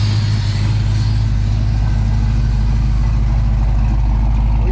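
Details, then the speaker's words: General Lee Dodge Charger with a new big-block V8, freshly started with the oil primed, before cam break-in and with timing still to be set. A deep, loud, lumpy idle with steady firing pulses and no knocks or squeals. "like it's running on all 8. We still have some timing that we need to figure out. But we got to break in the cam first."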